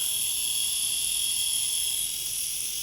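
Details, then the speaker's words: Small electric motor with prop shaft for 1960s Veron Caribbean Coaster model boat, after three-in-one oil cured squeak: smooth high even whir, no squeak or scraping; running freely. "that's more in keeping for a vintage model boat isn't it"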